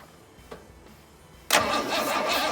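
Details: 1962 Ford Falcon inline engine with a newly fitted starter: a click, then the starter spins the engine over with an even, strong whir and no firing; cranking sounds healthy.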